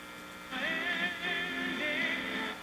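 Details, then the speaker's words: 1949 Zenith 7H921 AM/FM vacuum tube radio, AM band during alignment, tuned between stations: steady hiss with faint wavering whistles, electrical interference from the shop's background noise picked up on AM. "and also I wanted to point out just as I'm doing the alignment on this is the noise level that's in my shop here"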